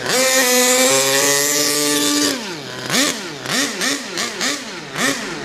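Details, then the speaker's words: HPI Savage Octane RC truck, petrol two-stroke, after leaning the rich low end; carburetor not reaching full throttle as linkage unset: steady high buzz rising and falling cleanly with each blip, crisp response; running well. "Running well though. Going well, man. It's going well. Run. Just listen to that run. What a dream. What an absolute dream."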